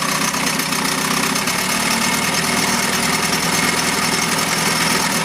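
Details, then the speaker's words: 1971 Mercury outboard (listed as 7.5, also called 72 horse) revived after coil and points work; cover on, steady even buzzing idle with no misses, knocks or hunting; runs well. "put a lot of hours into this thing trying to get it to run but now it runs like a"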